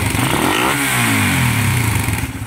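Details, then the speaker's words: Raider 150 motorcycle, cold engine before repair: metallic top-end clatter over the revving engine, rising and falling with throttle and disappearing once warm; tensioner is suspected, cold engine rattle. "Pag uminit sir, wala na. Oo, wala na pag uminit."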